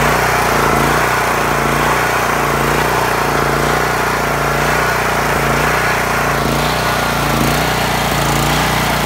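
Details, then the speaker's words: Honda GX390 with new carburetor and spark plug idles unevenly, speed surging about once a second as governor rod hunts; leaking gasket behind carb ahead of the insulator lets air in. "what's actually the problem here is the gasket on the backside of the carb in front of the actual insulator piece is leaking it's allowing air to get into the carburetor"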